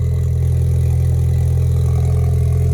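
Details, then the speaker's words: 2016 Ford Mustang EcoBoost, new engine tuned on E85 with big Precision turbo, just started and warming up: steady, deep idle with even low hum, no knocks or misses, no smoke; normal warm-up idle. "Let it chill. Let it warm up. Oh, that sounds really good, boys. No smoke. That's beautiful."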